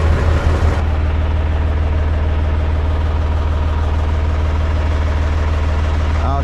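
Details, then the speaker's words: Mahindra 3525 diesel tractor, cold start at about 18–19°F after sitting about 1.5 months on a low battery: it chugged at first, then after 4–5 minutes settled to a deep, even, steady warmed-up idle; normal idle. "sound like it run a little bit better now it took at least I don't know four or 5 minutes before it kind of smooth out out there"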